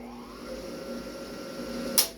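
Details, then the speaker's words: New half-horsepower 220 V pump, normally 3450 rpm at once, wrongly fed 110 V: motor hums and winds up slowly and laboriously instead of snapping to speed; the wiring needs correcting. "hear how it has this laborious start ordinarily when you turn on a pump boom it snaps into life and you're up to thirty four hundred and fifty rpms right off the bat"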